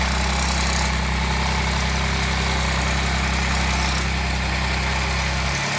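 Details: Audi 3.0 TFSI at idle: steady idle with a loose, uneven beat of about two and a half a second over the drone. Abnormal extraneous engine noise.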